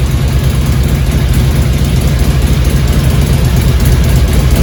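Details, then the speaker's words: 2002 Harley-Davidson Road King Classic Twin Cam idling after cam chain tensioner replacement: deep, lumpy, loping V-twin beat, much quieter, with no ticking or rattle; cam chain noise gone. "much quieter clearly uh cam chain noise is gone"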